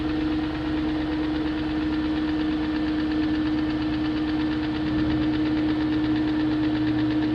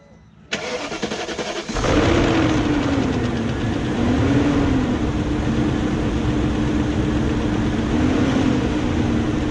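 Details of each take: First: 2001 BMW E38 740i after rebuilding the VANOS units with Beisan kits, replacing VANOS distributors and camshaft gaskets, lifters checked, plugs tight: steady idle with light fast tick over constant drone; top-end ticking persists, cause unknown. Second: 2001 BMW E38 740i start after timing chain guide replacement and both Vanos units resealed, to check earlier ticking/dieseling sound: catches after short crank, settles to even idle with slight wandering hum, no ticking or clatter.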